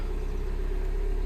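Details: 2010 Mini Cooper S 1.6 N14, idling after repair: steady even low rumble, unchanging pitch, no misses or knocks; removing the fitted parts stalls engine, confirming faulty DME.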